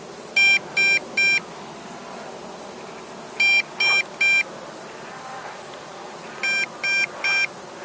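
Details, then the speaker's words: MJX Bugs B2W (Bugs 2W) brushless GPS quadcopter in demo flight: sharp high beeps in groups of three about every three seconds, a repeating warning alert the pilot can't identify, possibly low battery. "and okay I start to have a beep I don't know which one is it probably my"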